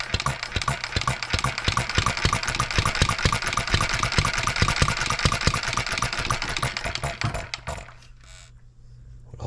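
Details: Model engine built 1988, not known when last run, crank just straightened: sharp, quick firing beats with the odd skipped stroke, then it slows and dies. Missing; owner suspects fuel-system junk and plans governor-spring speed adjustment.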